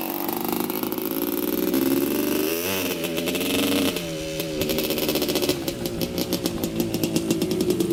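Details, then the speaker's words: 1985 Honda CR250 two-stroke dirt bike on a quick test ride after cleanup, previously breaking up around three-quarter throttle: crisp revs climbing and dropping cleanly, no bogging or misfire; running great so far. "all right so far running great i was just taking it for a quick test drive just to see if it would run good and so far so good"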